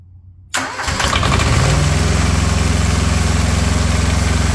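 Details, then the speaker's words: Small diesel auxiliary power unit engine off an old truck: quick start, settles into an even, steady diesel clatter at idle with no misses or knocks; engine healthy though its generator puts out almost no voltage. "I'm I'm quite pleased with this little motor"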